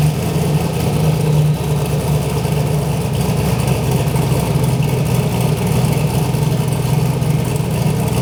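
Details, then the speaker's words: Turbo V8 Ford Fairmont just after replacing bent connecting rods with straight ones. A steady, even rumble with a smooth low beat and no knock or tapping means the bottom end sounds healthy and runs pretty good. "Alright, we got some straight rods in this bad girl now. Seems to be running pretty good."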